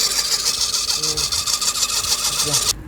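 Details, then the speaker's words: 2005 Suzuki Swift running engine with a harsh, hissy high-pitched rasp; mechanic suspects a bearing, testing with belt loosened to determine water pump bearing versus alternator. "have to determine whether or not the water done it sound to me like a bearing"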